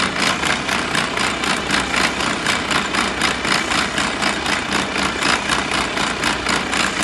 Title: Abnormal sound from gearbox MP4 Mercedes Benz AROCS PART 1